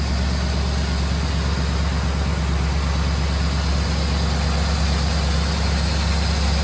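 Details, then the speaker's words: Classic barn-find engine after about 15 minutes' total run time, warming up: steady low idle with a light quick ticking about twice a second on top; sticky lifters still freeing up. "still got a little bit of sticky lifters and you know it's run for 15 minutes or so in total"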